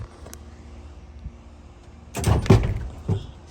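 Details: Lowrider hydraulics: switches give sharp solenoid clicks but the pump doesn't run and the car won't go up, though it comes down; owner suspects worn Accumax solenoids after heavy switch use, and a recent leak.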